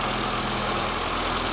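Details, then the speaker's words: Classic Mini, possible head gasket failure and temperature reading stuck cold; warm-up idle about 1200 rpm, not in gear, steady fairly quick even beat with no misses, high idle slowly coming down. "Right, check our idle speed quickly. So we're looking at about 1200 RPM at this stage."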